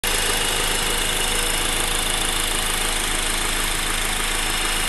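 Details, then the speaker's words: Honda Accord four-cylinder sedan idling, hood open, microphone near the engine block; steady diesel-like ticking clatter from injectors and valvetrain, even and unchanging; normal engine sound. "It's coming from the engine block, it sounds like. Like right there, that's where it's coming from. Sounds like a diesel engine almost."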